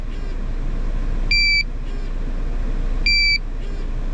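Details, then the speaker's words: GZAIR SA103 portable CO detector reading well over 1000 ppm and falling. Two-tone shrill beeps about every 1.75 seconds, with vibration until the level drops below 200; the alarm stops below 50. High carbon monoxide alarm. "after the beep it vibrates once it gets under 200 the vibration is going to go away there's just an alarm and once it gets down to a more safer level which is below 50 the alarm is going to stop as well"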